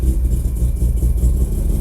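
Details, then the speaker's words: Mazda RX-7 FD rotary, first start after new AEM IGN1A smart coils and harness fixed ignition wiring faults, cold, idling about 2,000 rpm: deep even burble with a slight lumpy pulse, holding steady right after firing up; idling properly. "yeah listen to that fired right up okay check everything things seemed I've cleared up quite well"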